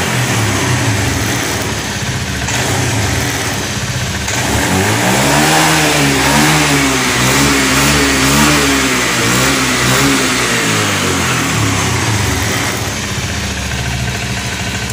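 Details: Honda Scoopy ESP FI automatic after tank cleaning, at 30 fuel pressure; picks up smoothly from idle, holds even revs without bogging, then shuts off cleanly; now stable, not ngempos.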